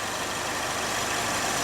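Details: 2011 Chevy Malibu after fixing an intermittent stumble and stall caused by an internal break in the injector wiring: steady, even idle with no stumble, miss or dropout, and no codes.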